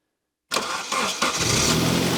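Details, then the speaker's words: Saab 900 Turbo Commander, first start after 10+ years parked, starter fluid sprayed into the intake: catches sharply and runs ragged for about a second; the fuel system is not delivering fuel, so it starts only on starter fluid. "Oh yeah! That sounded really nice. I know it was just for 1 second. The fueling system is not delivering any fuel at the moment."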